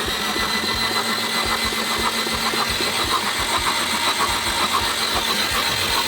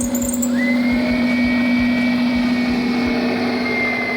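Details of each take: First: 1998 Subaru Legacy that landed in a marsh, with code P0505 (idle air control) and running rich: cranking with the coil disconnected and plugs out, about two beats a second with hissing spray. Fuel floods out, mostly from the right side; hydrolocked. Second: 1998 Subaru Legacy after the water-damaged ECU was replaced with a good used unit: steady, smooth idle with no misses or knocks and an even alternator whine. The misfire is gone and it runs healthy.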